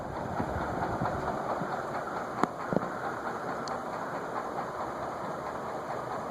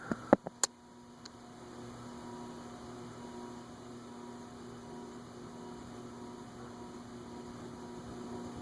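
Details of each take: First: Vintage TAT ceiling fan (cast iron spinner motor, circline fluorescent light) on bench, speed near high at about 0.54–0.6 A: even hum with light irregular tapping about three a second; something loose knocking, not the glass, source unknown. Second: TAT/Wing Tat Mistral ceiling fan (cast-iron spinner motor, fluorescent-light ballast transformers) on the workbench after a fix: a soft, steady electrical hum with no knocking or ticking. The earlier noise is gone and the fan runs quiet and even.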